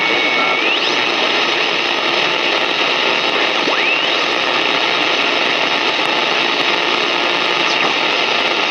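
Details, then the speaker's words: Panasonic RF-1150 shortwave portable compared with RF-2600: constant loud hiss with faint whistles, no station rising above it; very high noise floor, some of it suspected internal to the radio. "it seemed like there's a real high sort of a noise floor and the station weren't really coming over that noise floor"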